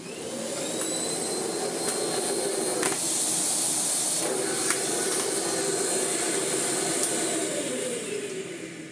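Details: Miele Blizzard bagless vacuum (SKRF3) after cleaning out its dirty filter assembly: steady, even high rush of air with constant motor pitch, no surging or rattles; suction running smoothly and healthy, in good working order.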